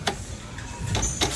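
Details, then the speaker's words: Car with P0420/P0430 catalyst codes, newly fitted suspension parts left untightened by a shop: as the car is rocked, three dull clunks sound about a quarter second apart. This loose suspension clunk matches the noise heard on the test drive. "it's all new parts this that's the noise i was hearing on the test drive"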